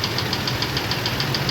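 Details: F-150 with 180,000 miles, idle: sharp even knock about seven times a second; replacement engine recommended; engine knock at idle.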